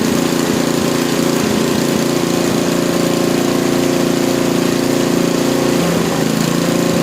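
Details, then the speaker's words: Small lab engine after mechanical governor dynamic adjustment, idle set near 2000 rpm: high steady buzz, no hunting or surging; top no-load speed rechecked with vibration tachometer just above 3400 rpm, governor holding correctly. "we're just here above 3 400 rpm for our top no load speed after rechecking it"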